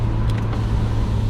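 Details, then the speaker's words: Mercedes C250 W204 turbo with a Turbosmart Kompact blow-off valve, heard from outside the car. It makes a steady, smooth low drone with an even exhaust note and no knocks or rattles; it sounds healthy. "It sounds very good. It's like a low."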